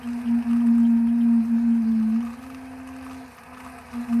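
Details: Suburban IW60RL on-demand water heater with recirculation loop in a 2021 Alpine RV, after recirculating pump replacement: steady hum near 200 Hz wavering and dipping as trapped air gurgles out of the lines; noise stops once bled.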